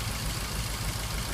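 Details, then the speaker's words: 2003 Ford Focus 1.6 petrol idling unevenly, with a lumpy low beat as one cylinder drops out; scanner shows a cylinder 2 misfire code, and the injector is suspected faulty. "I have a 1.6 Ford Focus petrol in with a misfire. I'm going to show you a few ways of looking at this and what we think the cause is. Let's start off, we'll plug a scanner in and we'll have a look at what codes come up. You can hear the misfire there."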